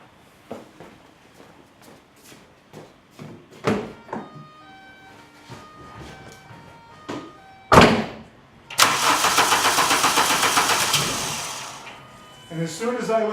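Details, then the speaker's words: 2000 VW Cabrio (MKII): several seconds of steady cranking that never catches, then one brief sputtering attempt as the key is released from start; no-start characteristic of a bad ignition coil, suspected, not confirmed. "in this unique case it won't it'll turn over but it won't start until you turn the key off and then it makes a little Rumble that it wants to start that's characteristic of this car needing a new ignition coil"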